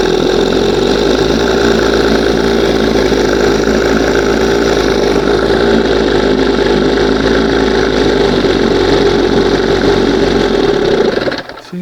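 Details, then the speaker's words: 1971 Johnson 20 hp outboard with high-idle problem after several carb swaps: uneven wavering note as revs float up on their own instead of holding idle; cause unknown. "this thing wants to float. Float up and rev it up."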